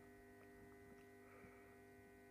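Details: 400 W high-pressure sodium light with magnetic ballast, bulb warming from white to orange: low steady mains buzz with no rattle or flicker; ballast humming normally, still operates fine.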